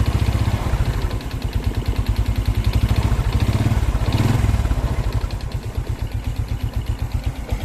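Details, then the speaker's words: Old, never-rebuilt Honda Karisma motorcycle engine, sharp regular knock about eight per second over idle, staying hard as revs rise slightly; suspected connecting rod knock. "indikasinya sih suaranya nih di bagian stang Karena untuk bagian stang kalau goyang dia bunyinya Kan kayak gini"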